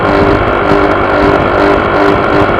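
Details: Honda PCX scooter engine pulling with a coarse vibration buzz that swells and fades about every half second; source not found.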